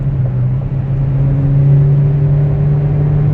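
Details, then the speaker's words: 1992 Toyota Corolla DX automatic, 26 years old: loud, steady, high-pitched engine drone at very high revs with no upshift, as if stuck in a low gear; releasing the gas gives a harsh shift, though now it isn't shifting at all. "the transmission unfortunately is having an issue. So what's happening right now, the revs are incredibly high, and if I let go of the gas, it will shift very harshly."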